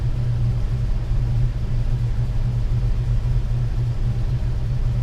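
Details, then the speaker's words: 1998 Ford Ranger 3.0 farm truck with swapped engine, after a fix for high rough idle: coolant at 160°F, idle air solenoid in the 20s, 800 rpm; deep steady rumble, idling normally. "all right guys our engine coolant temp has come up to 160 idle air solenoids in the 20s that's about what you want we got 800 RPM"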